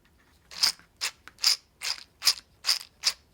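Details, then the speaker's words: RC custom 6WD truck steel transmission with dual brushless motor mount, after resetting spur-to-pinion gap: crisp, even whirs spinning up, clean meshing without grinding; gears properly set. "kind of giving it the proper gap in between the uh spur gear and pinion and listen to this"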